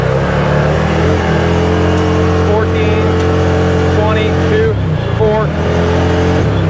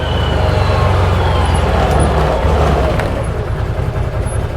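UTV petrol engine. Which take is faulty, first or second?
first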